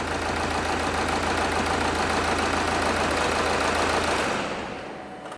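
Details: Diesel engine at idle with one injector unplugged to induce a misfire, measured at the tailpipe with a pressure sensor: steady clatter with uneven, lumpy beat from one dead cylinder.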